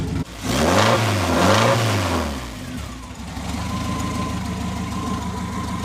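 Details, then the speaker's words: Mk2 Ford Escort after clutch work, loose clutch fork suspected, exhaust disconnected from manifold: loud, raw open-exhaust revving settling to steady idle, no rattle from bell housing; sounds healthy. "it seems okay I'm just going to put the exhaust back together just to confirm it"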